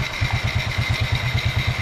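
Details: 2009 Kawasaki Fury 125 single-cylinder air-cooled four-stroke after replacing faulty 7-year-old carburetor with new one: even idle thumping about seven beats a second, steady, no misses or stumbles; healthy idle.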